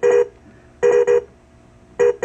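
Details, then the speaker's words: 1993 Williams/Bally Star Trek Next Gen WPC pinball in switch test, wires crossed by hand: single beep expected, but the white-green row gives pairs of beeps, a short on the CPU board. "but what I'm finding is right here on this white green line look I get two beeps so I got a short on the CPU"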